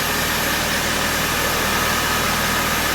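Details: 2001 Saturn S series idling after an oil change (old oil was black): even, steady idle with a faint low hum under heavy hiss, no knocks or misses. Sounds healthy.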